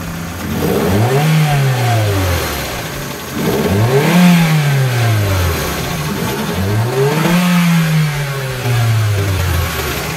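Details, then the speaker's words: Hyundai Accent with code P0420, exhaust backpressure test at idle and three full-throttle snaps: dull choked note, 5 psi positive pressure shows the catalytic converter is clogged, restricting exhaust flow. "tenemos 5 tenemos 5 psi de presión positiva qué significa eso que el carro intenté evacuar sus gases de escape y el catalizador que está ahí abajo ya está atascado tapado y no deja que los gases se liberen"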